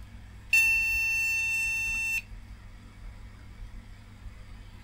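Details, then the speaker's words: Retro MSI motherboard with AMD CPU, recapped by its owner, known-good DDR RAM fitted: one long high beep of about 1.5 seconds over quiet fan hiss; POST code for RAM not detected. "okay so this seems to think it has no rub yeah so that's where the problem is with it"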